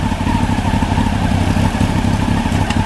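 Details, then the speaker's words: 1993 Honda CBR900RR on rear stand, out of museum storage, aftermarket exhaust deeper and throatier than stock: steady, even idle putter that holds through a light clunk as gears are selected; runs cleanly, clutch not stuck. "I don't know how well the microphone picks up the exhaust but singing deep and throaty compared to the stock"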